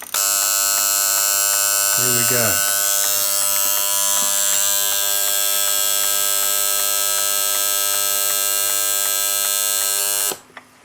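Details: Copal RP-160 flip clock, serviced and with its front case refitted, has its alarm rechecked. A harsh, steady electric buzz holds an even pitch for about eight seconds, then stops cleanly; the alarm buzzer works properly.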